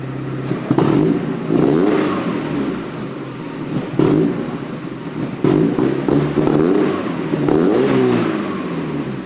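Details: Rebuilt abandoned Mazda Miata on a retried start after plugging in the O2 sensor that had been leaking exhaust: the engine starts and takes several quick blips, revving and settling cleanly with no ticking or puffing; it sounds healthy.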